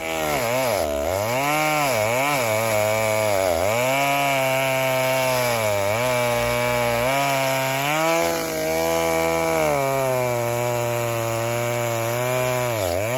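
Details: 1960s Stihl 08S two-stroke chainsaw, about 60 cc, cutting firewood after 1/8-turn richer adjustment: buzz sags as chain bites and climbs cleanly back; pulls strongly, "a lot better", normal running under load.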